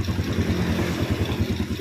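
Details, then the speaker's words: Yamaha Vega R New single whose throttle/idle would not stabilize, blamed on valve clearance too tight from carbon and oil loss, after carburetor throttle adjustment: steady, even low putter at idle with no hunting or surging, stable idle. "yes, it's stable, yes, I'll turn it down again, and the engine is about to roar, Bro, OK, yes, it's stable, it doesn't turn off"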